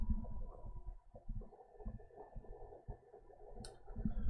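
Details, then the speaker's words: NAS units idling, microphone held close: a quiet low hum with soft, irregular small clicks from the hard drives, nothing harsh or repeating. Normal idle drive noise. "a little bit of noise there as you can hear now we're going to move over to the device doing the rate scrubbing"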